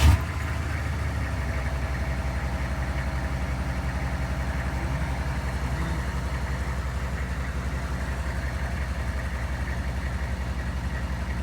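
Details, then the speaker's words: GMC/Chevy OBS 6.5L diesel, 171,944 miles with much idle time, too-short belt fitted: steady idle with loose rhythmic clacking about two beats a second from the crankshaft pulley slapping around, leaving a shiny wear mark; bullet crank pulley and fluid damper planned. "that's this pulley slapping around and i'll throw another video in there and you guys could hear that clanking sound"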